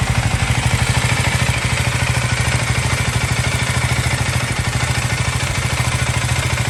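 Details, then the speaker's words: KTM Duke 390 Gen 3 (LC4C engine), recorded on a phone microphone: even, steady single-cylinder thump at idle with light combustion clatter, normal for a performance engine; healthy idle. "so there you have it uh that was the idling engine noise I mean idling engine sound from this motorcycle and uh I hope that gives you an idea of what it should sound now this is a Performance Motorcycle so there is going to be some combustion clatter as I said"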